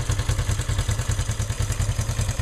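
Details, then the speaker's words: 1974 Honda CL360 twin, just after cold start on choke, warming up, rebuilt top end (valve guides, valve job, honed cylinders, new rings): even, regular thumping idle with no misfire, rattle or tick; runs really well. "so this is a cold start it's getting warm already but I can I can hang on to it for a while so cold engine start's good"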